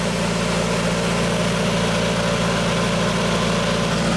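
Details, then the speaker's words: Genie boom lift after repair, turntable rotating: steady engine drone with an even hydraulic hum, no surging or straining; a 3047 bulb tied to power boosts flow-control voltage to almost 9 V from 7.5 V, so rotation is faster now. "So with the light bulb in place, you can see we're rotating a lot faster now. We're almost at 9 volts. It used to be 7.5."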